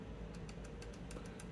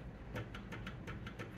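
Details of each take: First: Trombone valve linkage: with the stop arm held and the lever moved, quick bright metal-on-metal clicks come from a loose screw in the linkage, to be tightened. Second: Trombone valve linkage after adjusting the collar screw finger tight against the ball end to remove slop: soft even clicks about six a second from the bumper, no metal-on-metal linkage rattle; slightly louder because the valve is completely dry.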